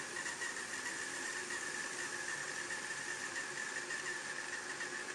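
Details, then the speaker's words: Hornby Class 31 Super Detail model diesel locomotive after storage: a thin, steady high squeal over a soft motor whirr as speed is cranked up, with hesitancy. Suspected roof fan mechanism binding. "but as we crank up the speed and there's a bit of hesitancy kicks in and then some rockling in a high-speed squeal"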